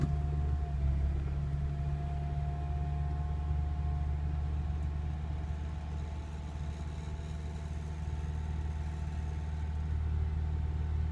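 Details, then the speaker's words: 2005 Acura RSX Type-S just after a weak cold start: the idle holds above 2000 rpm, sags, then shoots back up like a surge over several seconds; cause unknown. "It'll stay up above 2000, it'll come down, and then it'll shoot back up like a surge."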